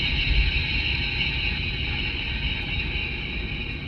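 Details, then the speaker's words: Mercedes W163 ML350 while driving, microphone at the front differential, after a driver-side front wheel bearing replacement: a steady high whine with a gritty drone underneath; a suspected worn front differential, later replaced. "So worst case scenario is that I've got a bad front differen"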